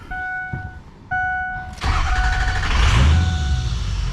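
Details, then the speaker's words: 6.0 Power Stroke diesel after replacing the number 6 injector for a low injector circuit code: chime, then crank and catch to a steady, even idle with no miss or stumble; slight belt squeak, engine healthy. "we're going to start it up and let y'all listen to it it don't miss"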